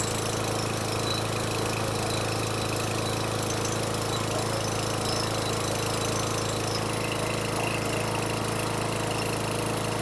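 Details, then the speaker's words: 2012 Craftsman mower single-cylinder after carburetor swap and jetting changes: fast, fairly steady idle with slightly uneven beat, idle RPM raised via tab under gas tank to mask roughness. Rough idle. "I increased the RPMs on the tab underneath the gas tank to try to compensate for the crappy idle."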